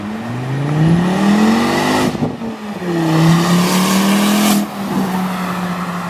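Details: Volvo S40 T5 2.5 L inline-five, hard revs with tire squeal: a very loud raspy blare rising and falling from a big exhaust leak at the flex pipe after the turbo, like a catless turbo outlet.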